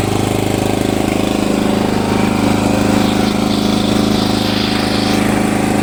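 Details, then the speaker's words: Hayter Heritage petrol tractor mower, a free non-runner stored unrun in a shed for 8 years, restarted after checking the oil and a fairly new spark plug: a steady, even chug at constant speed with no knocks or misses, running healthy. "this is fantastic absolutely fantastic"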